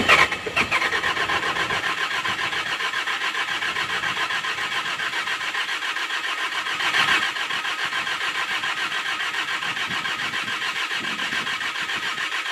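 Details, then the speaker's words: Skid steer S530, cold start in snow after new battery fitted (suspected electrical drain): steady churning crank for many seconds, one brief surge, never catches cleanly; owner thinks fuel pump needs priming. "right sounds like it needs prump to be primed a [Applause] bit"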